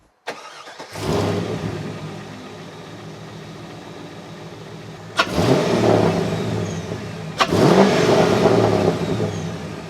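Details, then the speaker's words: C5 Corvette just fitted with a Callaway Honker intake, restarted after running at 176 degrees for 5 minutes: catches and settles into steady idle, then two clean free revs rise and fall smoothly, no misses or knocks. "For now, let's hear what this thing sounds like in comparison to the whatever intake I had in before it."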